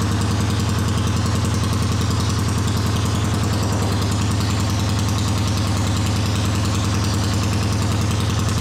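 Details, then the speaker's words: A 1979 Honda CX500 twin cafe-racer project holds a steady idle with a lumpy, uneven beat of about three pulses per second. One cylinder seems weak, and the right exhaust is colder than the left; the cause is unconfirmed. "So the right exhaust is colder than the left. We'll have to investigate that, but it is running."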